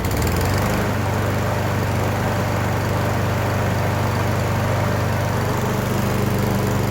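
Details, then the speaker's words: Briggs & Stratton 550EX lawn mower with plastic carburetor, after carb jet work for surging: steady, even drone holding speed without rising or falling; normal idle, surge fixed. "all right so then i have it all put back together guys uh as you can see it was running perfectly"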